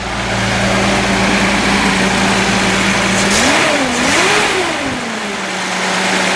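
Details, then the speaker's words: 1976 Datsun 280Z 2+2 junkyard revival, new exhaust fitted, 296 miles driven since recovery: steady, even idle, then a clean rev rising and settling smoothly back with no knocks or misses; healthy engine. "Fires up and it purrs. It's just a great running little car."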